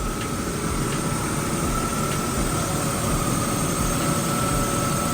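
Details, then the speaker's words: BMW E36 heater blower motor refitted after reconditioning with new brushes, tested before reassembly: a steady airy whoosh with a faint hum and no scraping or squeal. It works at all speeds. Normal blower running. "You probably can't hear it, but I can confirm that this works in all modes. Really happy about that. Didn't need to buy a new one. All it was the brushes on the old one."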